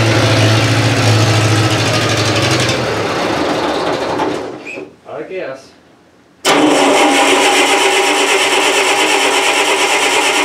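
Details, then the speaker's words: 1970s Bobcat 610 skid steer, very cold start at about 20°F, leaking oil: engine stumbles a few seconds, dies to near silence, then fires and settles into a steady run; hard cold start. "it'd be an old start, very cold start. It's like 20 degrees Fahrenheit today."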